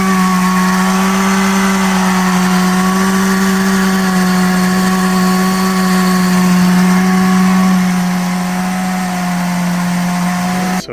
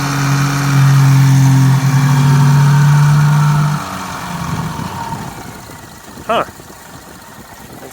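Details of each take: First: 2015 Subaru Forester FB25 2.5i with a DIY Eaton M65 supercharger on a new 93 mm pulley, about 5 psi, at idle with the pulley engaged and inlets uncapped: a steady high whine over a smooth idle, normal. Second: 2015 Subaru Forester FB25 2.5L with DIY Eaton M65 supercharger, inlets capped to simulate blocking airflow when off, alternate-path throttle left closed: strained droning note then much quieter; engine starving for air through blocked supercharger inlet, flawed test.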